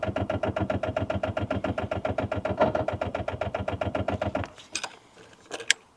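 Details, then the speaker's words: Rover 800 abandoned for 15 years, last attempt after being dragged to free engine; steady starter churn about four beats a second for over four seconds, never catching; smoke near turbo, owner thinks it's trying to fire. Cranks, no start. "That is not starting."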